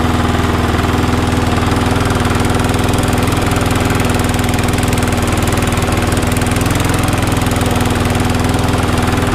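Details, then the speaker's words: Cheap never-used lawnmower after missing parts replaced and secondhand carburetor springs fitted, on a 15-minute test run after initially smoking and spitting water and debris from the exhaust; steady even single-cylinder putter, running normally. "okay as you can hear in the background that little lawnmower is now on its test I'm gonna run it for about 15 minutes solid"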